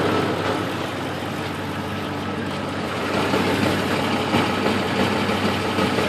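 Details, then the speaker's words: 2004 Ford F-150 5.4 3V, cold after sitting all day, fan off, before repair: busy loose metallic rattle over V8 idle, mainly front passenger side; loose timing chain suspected, cam phasers possibly worn, valves and lash adjusters thought unlikely. "It's cold. Turn the fan off. Alright, so it sounds like phasers at the front."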